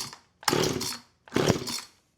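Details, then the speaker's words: Husqvarna 455 Rancher chainsaw unrun for about three years, pulled on choke with starting fluid; two short bursts of rough popping that die out each time, barely catching. Carburetor and fuel trouble suspected. "Oh, do you hear that? Yeah, that's it starting."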